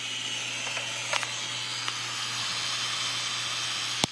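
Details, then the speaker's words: Projector with grinding only when the bulb is on: two cooling fans still spin and blow air but give a loud, steady, hissy rush with a low hum and a few clicks, i.e. major fan grinding. "fans on the other side two of them so yeah major grinding"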